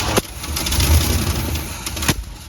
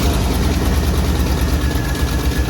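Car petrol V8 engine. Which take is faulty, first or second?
first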